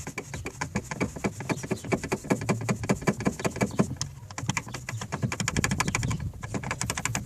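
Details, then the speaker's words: Door closed: quick dry metallic clacking, about five or six a second, from a loose door check strap rattling on its pin. This is one cause of knocking over bumps on VAZ 2108–2112/2170 cars; the fix is plastic washers between bracket and strap. "одним из вариантов возникновения стука это ограничители дверей то есть закрытом состоянии вот такой звук слышите"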